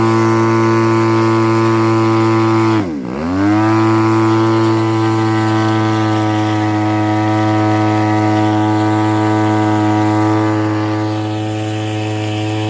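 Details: Pitts S2C aerobatic plane radial engine: steady drone suddenly sags and stumbles about half a second before catching again; misfire caused by a defective smoke-oil nozzle.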